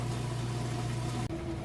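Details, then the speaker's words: Kenmore super-capacity washer on heavy duty, spin cycle at full speed after rinse; smooth, steady low whir with no knocking, rubbing or wobble; normal spin cycle. "now we're on to the spin cycle we're spinning full speed you see it's nice smooth operation sounds great"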